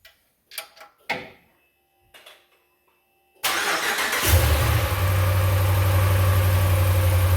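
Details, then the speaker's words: 2018 Ram 1500 5.7 Gen III Hemi V8 after replacing exhaust manifolds with an aftermarket kit and removing a broken manifold bolt: cranks briefly, settles into a smooth even idle, no ticking or puffing; exhaust leak fixed. "No leaks, nothing at all. Nice and quiet."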